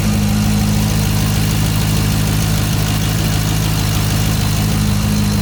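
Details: Chevrolet Corvette C6 after new motor mounts were installed and the spark plugs, cats and exhaust clamp were reconnected: a smooth, steady idle with a constant low hum and no clunks or shudder; the engine runs healthy.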